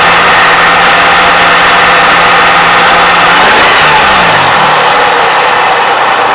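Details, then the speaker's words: Toyota 3.5L V6, 170,000 miles, cold start before graphene oil additive: blip then back to idle, quick light clacking from valve timing advance actuator under belt noise. "yeah a little bit of clacking noise coming right from here but you can hear it hopefully you can hear it"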